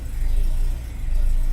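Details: Renault Duster petrol engine at idle after fixing cylinder 4 misfire caused by a wiring connector fitted upside down: low, steady, even rumble without stumbles; warning light off, pickup restored.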